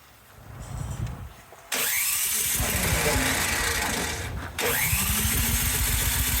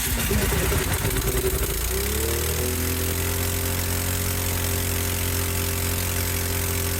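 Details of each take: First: Cub Cadet 528 snowblower after carburetor work, electric starter whirs steadily but engine never fires, run switch found left on stop, possibly the cause; cranks but no start. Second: Cub Cadet 528 snowblower after carburetor repair: catches, settles into a steady even idle, revs up smoothly and winds down, restarts; normal running.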